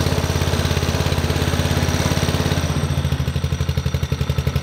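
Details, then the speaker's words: Murray two-seat go-kart with a 5 hp Honda overhead-cam single that sat for years, started on choke with a pulse fuel pump: it thumps along at a brisk, even idle of about three pulses a second with no misses and runs fine. "runs like a dream"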